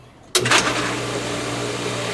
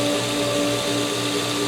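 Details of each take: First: Smaller pool pump started with the system emptied of water and full of air, both pumps switched on: motor kicks on abruptly into a steady, hollow hum with a light rushing overtone; airlocked, running dry and purging air. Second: Pool pumps after regaining prime, with air purged through the chlorinator during pool opening: steady hum with two clear, unwavering tones and no rattle or gurgle; pumps primed, running in harmony and running normally.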